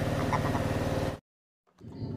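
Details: Fuel-injected scooter, previously hard-starting and fuel-thirsty, starts without throttle and idles with an even, quick low putter, then cuts to silence and faint handling noise.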